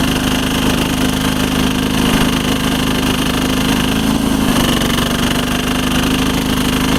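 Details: 1983 Case 446 repowered with a Lombardini 6LD 435 single-cylinder diesel, high range at full throttle up a steep grade: steady, even chug under load with firm low thump, no knocks or misses; normal running.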